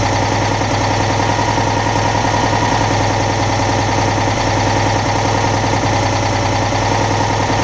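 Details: Citroën Dyane 6 twin-cylinder petrol engine idling evenly with a steady low thrum after cleaning the carburettor jets; it previously would not hold idle and stalled due to dirt passing the fuel filter, and a missing part possibly caused an air leak.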